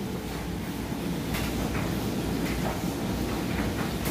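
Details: Whirlpool Ultra Care II electric dryer on timed dry, high heat, with a wet jeans-and-towel load: a steady drum rumble with soft irregular tumbling thumps and no squeal or scrape. Running normally; the door switch is bypassed.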